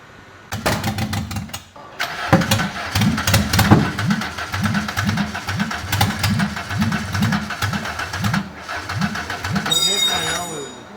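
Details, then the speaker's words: 1998 Renault Laguna 2 2.0 at 509,000 km, first start after an engine rebuild: it catches and runs lumpy with an even stumble about twice a second, a misfire from bad ignition leads that burned the plugs; the leads and plugs were replaced. "Bu da eski bujilerimiz bu bujileri de patlatmış Az önceki gösterdiğimiz yenileri de patlattı sıkıntı kablolarda"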